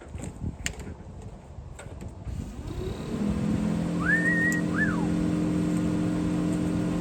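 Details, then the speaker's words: 1969 International Harvester Scout 800 heater blower motor after fix: blower spins up smooth and steady, even hum with no rattle or vibration. Vibration previously present in-vehicle was cured with penetrating oil and Blaster; owner unsure how long the fix lasts. "Listen to how quiet that is. Nice. That's high. That's low. And there you have it, folks. Fix the vibration with a little International Harvester penetrating oil and also some blaster."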